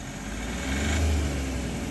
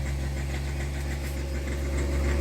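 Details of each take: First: Hyundai Xcent / Grand i10 after repair of self-acceleration fault: engine revs on throttle then drops cleanly back to about 900 rpm idle, smooth, no knocking, hanging or surging; normal return to idle. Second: Hyundai Xcent/Grand i10 with a pickup problem. With no accelerator pressed, the idle climbs by itself to about 2000 and sticks near 3000 rpm, with a slightly uneven, rough-sounding beat: a self-accelerating idle surge.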